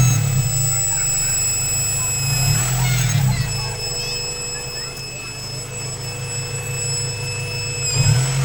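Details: Honda B-series B18C6 engine running: a thin, steady high-frequency whine over the low engine drone that changes little; engine whine, source unclear.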